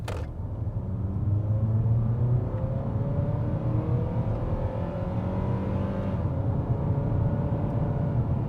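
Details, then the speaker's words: Ford Fusion four-cylinder on a used-car test drive at about 3/4 throttle: strong smooth rising drone with clean gear changes, no knocks or slipping; acceleration seems fine. "And that was probably 3/4 throttle. Um, seems fine. It's just a little four popper in this Fusion, so it's not going to set the world on fire, but it'll get out of its own way."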